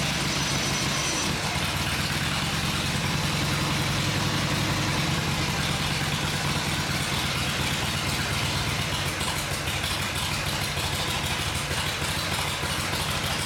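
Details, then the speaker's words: Vintage Harley Shovelhead V-twin on the stand after full engine and transmission rebuild: even, steady loping idle, no knocks, misses or rattles; sounds good, normal smooth idle. "Go. She sounds good. Sounds good."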